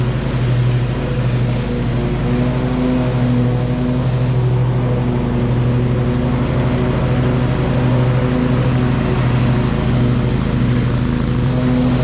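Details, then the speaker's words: Bad Boy Maverick zero-turn, Kohler Confidant V-twin, after new ignition coil fixing one-cylinder low-power fault, new deck belt, cutting thick grass; strong steady drone, no bogging or speed dips – normal running under load. "we're good the belt track good and everything nothing feels like it got hot or anything can usually tell if you grab that belt and it's real hot that it's not tracking correctly the motor run good"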